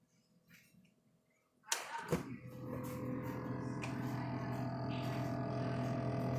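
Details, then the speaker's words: GE refrigerator with a persistent buzz audible throughout the house despite a supposed fix: after a door thump, a constant low electrical buzz holds at one pitch; source unclear, thought not to come from one side. "was supposed to have been fixed it does not seem that it worked though because I'm still an annoying buzz"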